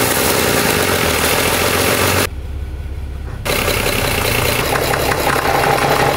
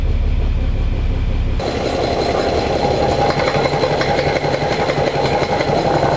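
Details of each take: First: Overhauled 230HP Mercedes diesel boat engine, gearbox shifted into forward and reverse with no load: loose, uneven rattle over steady running, quiet in neutral; gearbox not opened, only bearings checked externally. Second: Overhauled 230HP Mercedes diesel boat engine in gear with wood pressed on the output flange for resistance: steady, even chug, earlier gearbox rattle gone; nothing wrong with gearbox or engine.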